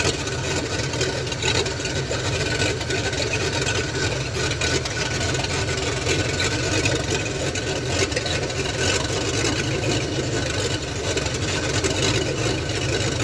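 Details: Ford F100 302 with Comp 268H cam, after cam break-in on open headers: even steady idle with raspy but uniform open-header roar, no misses or ticking; healthy normal idle.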